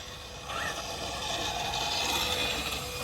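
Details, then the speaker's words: RC drag car on a parking-lot pass: steady dry rasping scrape under the motor whine throughout; owner says the wheelie bar drags constantly, suspects it is set too low, unconfirmed. "Currently, you can hear the wheelie bar dragging all the time."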